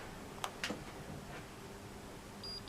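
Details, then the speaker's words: 24-hour Holter heart monitor after battery insertion and green light: a couple of handling clicks, then three short high-pitched beeps, with the light flashing to show it is recording normally. "you can hear those three beeps, and now you can see that the light is flashing. That means that the recorder is actually recording this patient's heartbeat."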